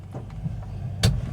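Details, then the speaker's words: 1974 Rover 3500S V8 after exhaust repair: steady low idle, then one dull clunk about a second in as the gearbox knocks itself out of reverse. Gear jumping out of reverse, gentle this time, sometimes more aggressive. "just pops out like that. Now that's that's quite a gentle one. Sometimes it can be a bit more like that aggressive."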